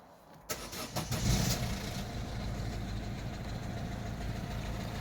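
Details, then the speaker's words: Citroen Berlingo 1.6 HDi idling in neutral with a light irregular chattery noise that goes away when the clutch is pressed. The owner suspects the noisy gearbox, cause not yet confirmed. "so you can hear a little bit of a chattery noise there hopefully it doesn't sound too horrific there but when I press the clutch it goes away and it kind of highlights how bad that noise is"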